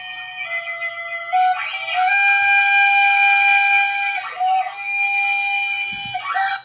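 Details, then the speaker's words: CNC router axis moving, from client's recording after random disconnects while cutting: shrill whistling tones rise and fall, harsher and rougher than a normal axis, X or Z suspected; steppers and transmission not sounding correct, cause unconfirmed. "now guys I think we all can say that is not the correct sound of the steppers and the transmission"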